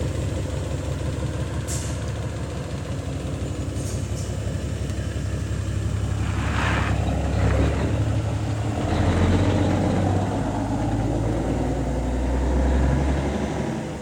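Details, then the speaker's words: Truck diesel engine after an in-frame overhaul, idling while warming up before a test drive; a deep, even rumble with some air hiss and no more smoking, a healthy idle. "This baby sounds good. No more smoking now, but still sounds good."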